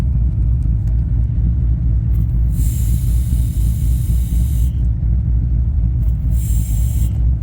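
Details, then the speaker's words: LS-swapped BMW E36 idling, inconsistent running, goes lean when brakes pressed: low engine rumble with on-off sharp airy hiss at brake booster firewall pass-through; owner suspects booster vacuum leak, not confirmed. "all right guys so this is the brake booster where it goes through the firewall right there hear that"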